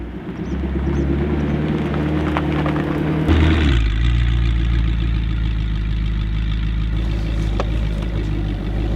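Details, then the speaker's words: Audi R8 V8, suspected seized engine, running again after diagnosis: catches and settles into a deep, even idle with no knocks or misses; runs cleanly. "Now, as you can hear, the mighty V8 is running once again, which is more than can be said in my previous video."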